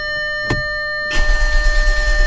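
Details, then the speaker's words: 2013 Audi S4 CGXC 3.0T supercharged engine freshly installed in 2011 Audi S4 B8 after a year, upper tensioners replaced and timed, fuel pump fuse removed: click then even, steady, healthy cranking without firing. "oh cranks very healthy I guess at that point I can install the fuse for the fuel pump"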